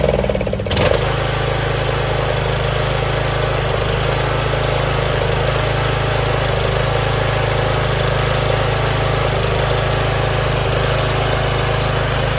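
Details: Troy-Bilt Pony lawn tractor after a valve adjustment and fresh oil, started on choke: after a short crank it settles into a steady, even single-cylinder thrum with no tapping, idling cleanly.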